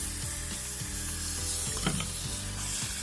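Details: Floor heating pipe pressurized with hydrogen tracer gas during leak detection: steady sizzling hiss escaping from two burst spots near a connector; pressurized pipe leak.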